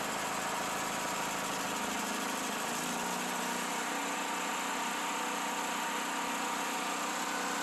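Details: Generator after long improper storage, new carburetor installed, fed clean gas through inline fuel filter from another generator: engine catches then settles within seconds into steady even idle, no hunting or misses; running properly.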